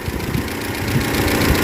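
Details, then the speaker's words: 2013 Toyota Innova 2.7L VVTi petrol, first start after engine repair, oil primed by cranking with crank sensor unplugged; original complaint was noise at 2000–3000 rpm: steady, even idle with no knocks or misses, normal idle. "चलो बंद कर दो तो भाई हो गया engine start successfully अल्हम्दुलिल्लाह"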